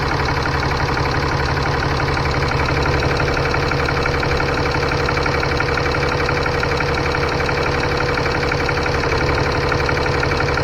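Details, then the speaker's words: 2015 Ram 3500 6.7L diesel idling after turbo wastegate actuator replacement, coolant at 131, gassed a little. Even clatter, steady rhythm, no surging or turbo whistle. Normal idle. "We're gonna gas it a little bit. Yep, nothing acting a fool."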